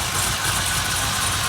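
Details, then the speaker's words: Chevy SS LS3 V8 fired up after installing an Elite Engineering E2 catch can and air separator: short stretch of steady, even idle with a smooth low rumble and no ticking or misses, sounding healthy. "Did a fire it up, test it out, make sure everything is good. And it looks good."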